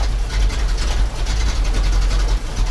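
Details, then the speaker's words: ZIL crane truck engine after 20 years standing: deep lumpy rumble surging and dropping unevenly; owner says half the cylinders dropped out, plans new spark plugs. "Ну, к сожалению, нормально он не работает. Половина цилиндров отсупонились."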